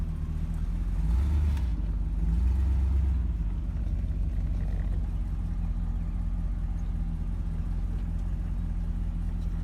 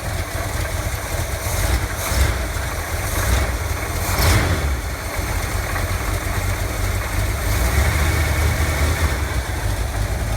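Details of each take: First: Chevy Cheyenne C20 V8 after fitting a new Edelbrock 600 cfm carb and replacing the water pump that had a bad bearing, driven a couple of days: deep, even burble at idle with steady low rumble, the previous grinding gone. Normal idle. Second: Chevy Cheyenne C20 truck on its old carburetor, before the new Edelbrock 600 cfm carb was installed: low, uneven idle with a wandering beat and stumbles, close to sputtering out. Owner notes it flutters and dies and thinks the lifters sound bad. Rough idle.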